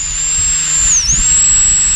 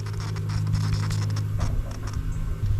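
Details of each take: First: Fuel pump from a long-abandoned, water-swamped Sea-Doo, bench-tested on a battery after being freed from a locked-up state: steady high whir near eight kilohertz, dipping briefly then recovering; pump spins smoothly and evenly. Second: Fuel pump from a long-abandoned, water-swamped Sea-Doo jet ski bench-powered from a battery: steady low electrical buzz with no spin-up, impeller locked; later freed with a pick and works.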